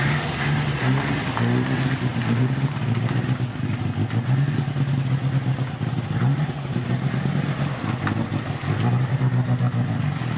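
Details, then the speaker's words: Mk1 Ford Cortina original 1200 petrol four-cylinder, revived after points clean and fuel priming, slight carburettor diaphragm leak: steady low even beat under light throttle, no knocks or misses; normal running. "there you have it, it runs."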